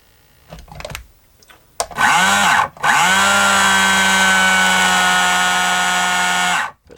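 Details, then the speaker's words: Kyosho Mini Inferno nitro RC buggy: the electric starter box strains with a dipping whine and never spins up freely. The starter box is red hot; the owner thinks its Chinese replacement motor, fitted in an earlier repair, is too weak. "sound very healthy at all does it this starter box is red hot"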